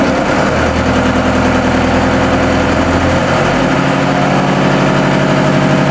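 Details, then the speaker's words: New TDME-490 58 hp marine diesel, under one hour of run-in, at 1000 rpm, heard 3 m from the boat, bridge door open, engine hatches closed: steady, even drone with firm low beat, no knocks; healthy. "Новый двигатель, обкатка меньше часа, обороты 1000. Вот такой шум при 1000 оборотах в 3 метрах от судна при открытой двери на мостик и закрытых паёлах моторного отсека."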